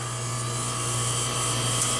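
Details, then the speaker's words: Bryant heat pump outdoor unit: outdoor fan motor runs with a steady hum, higher tone and airy rush, no dragging, when its black wire is fed L1 directly. Fan works; control board isn't feeding L1 to ODF BLK terminal. "what's supposed to happen no it's shaking whoo so that verifies that the fan works correct"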